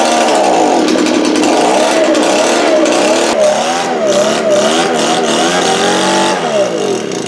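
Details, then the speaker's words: Echo leaf blower two-stroke, after carburetor cleaning of gelled fuel: screaming buzz whose pitch wavers up and down, hunting; uneven running and lacking power, still clearing debris from exhaust, improving with running; exhaust to be checked. "alright guys so it does run you solve that we're gonna check the exhaust now it seems like it's lacking a little bit so and make sure it's clean as I felt some crap coming out of it"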